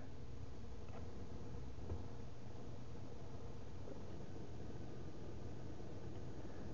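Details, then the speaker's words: Car audio with USB car charger plugged in: steady low hum and hiss with no engine rhythm, noise returns when the charger is plugged in and goes when unplugged; ground loop noise from the charger. "so if I plug the car charger in here the noise is back wow so it's from the"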